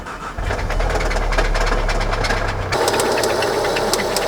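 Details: VW Golf R Mk7 engine with 246,000 miles, bought blown up, gold sparkles in oil pan: uneven deep metallic knocking at roughly three to four per second over the running engine; rod knock, spun rod bearings.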